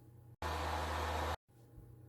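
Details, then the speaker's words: PS4 games console with a very noisy cooling fan: loud, steady rushing whoosh with a low hum underneath, before cleaning and full fan replacement. "Well, that is one noisy fan."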